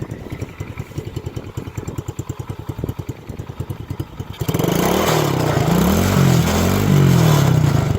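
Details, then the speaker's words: Coolster 110cc kids' ATV with a dedicated starter solenoid, rear jacked up, brake off: even regular putter at about three beats a second, then a smooth rise in revs as the rear wheels spin; healthy normal idle. "So no issues there. It idles really well. It sounds good."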